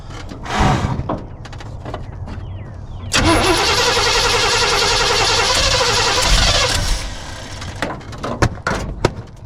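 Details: 1976 Chevy K10 V8, ex-mud truck parked about 10 years, first start: catches after short crank, runs a few seconds with a lumpy uneven beat then drops away; timing suspected slightly off, unconfirmed.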